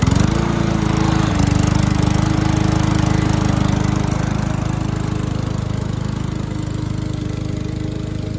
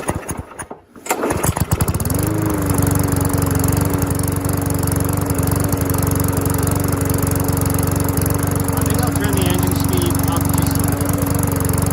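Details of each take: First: Curbside-rescued MTD mower cutting grass after an engine-speed increase and oil change, still with no air filter; steady drone with a clear blade tone and even speed while cutting; owner suspects earlier smoke came from tipping and overfilled oil; normal running under load. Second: Curbside-rescued MTD mower with no air filter, running before the speed tab is bent; a steady, even single-cylinder beat, but a bit slow and low-pitched; owner thinks it sounds a little slow, unsure; low engine speed.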